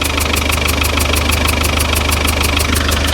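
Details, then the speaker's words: 35-year-old Land Rover Defender 110 diesel at idle, heard at the back of the engine: regular sharp puffs about three per second, gas spitting out where oil has leaked over engine and gearbox; owner suspects head gasket, not confirmed. "there's like a spitting you can feel the feel the um the gas is coming out there"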